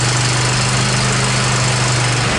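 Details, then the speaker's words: Cub Cadet XT1 46-inch riding mower, formerly a no-start that barely cranked, after starter and throttle cable replacement: the engine fires and runs steadily and evenly with no misses. "Well, there you have it, folks. She's a runner."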